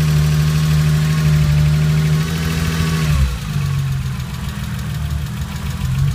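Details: Porsche 996 petrol engine, first start-up after replacing all tappets on cylinders 1-3, before full setup: light fast ticking over the idle hum; tappet noise.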